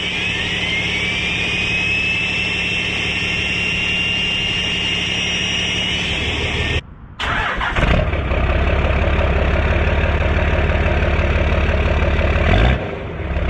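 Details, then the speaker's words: 12-valve diesel truck started after swapping from a VGT turbo to a new turbo: cranks and catches, then a steady, even idle with a lower, louder turbo note; louder, the VGT had quieted it; healthy. "see that's the sound that i am used to that vtt really shuts this truck up that's awesome"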